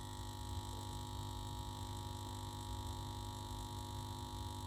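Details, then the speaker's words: 1967 WEM Dominator MK2 valve amp on a Variac above 200 V: steady, buzzy metallic hum with no rhythm from the power transformer, suspected loose laminations; bolts to be tightened, hum intermittent and later disappeared. "Now that humming has appeared again, as you can hear, that metallic humming, as I've got the voltage up past 200 volts. So what is causing that? That's the power transformer, and that sounds like the laminates to me."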